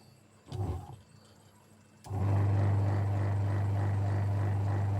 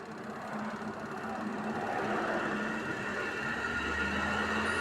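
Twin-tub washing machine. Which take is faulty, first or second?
first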